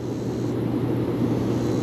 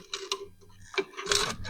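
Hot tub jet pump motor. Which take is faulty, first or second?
second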